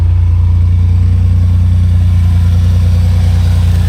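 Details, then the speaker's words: 2002 Jeep Grand Cherokee WJ, automatic transmission cooler eliminated, after junk-car crash racing and a long time unstarted; deep, even rumble at a steady idle with no misses, knocks or puffing, no blow-by, runs great. "still runs great no blow by at all despite all the abuse you [Music] know"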